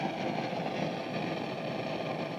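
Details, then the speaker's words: Egnater Tourmaster 4100 all-tube half stack with no note played: constant dense crackling and popping hiss like a flame in wind, traced to preamp tube number 7, the 12AX7 Groove tube running the effects loop. "You could maybe say it's a crackling and popping, maybe sounds like a flame being blown in the wind."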